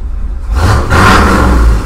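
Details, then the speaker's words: Ford 351W MABBCO short block, about 325 hp, in a truck with 4.11 gears, broken in: clean, strong rev climbing smoothly without misses, knocks or rattles; mild idle, pulls hard to nearly 6,000 rpm. "In fact, you can listen to it right here. Listen to this. The idle's not too radical, but"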